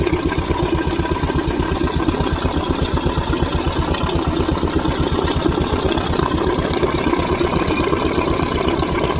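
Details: Royal Enfield single-cylinder: steady, even thump at idle with no knocks, ticks or rattles on top; the engine sounds healthy.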